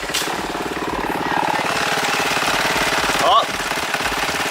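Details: 1986 Honda Helix scooter, new belt on order: small engine chuffs about three and a half beats a second with an uneven, rattly edge, running rough, unidentified noise still to trace.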